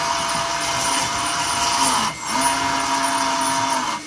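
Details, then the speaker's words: Lesu SK500 RC excavator track final drive, with a homemade gasket standoff and lithium grease fitted: a steady high motor whine dips in pitch as direction changes, with a faint rub in reverse as torque pushes the motor outward against the housing. "a little bit loud in Reverse but it's working much quieter when it goes forward because the motor in there the torque moves it in so when I go on reverse and the motor reverses the torque moves it out and it's rubbing up against"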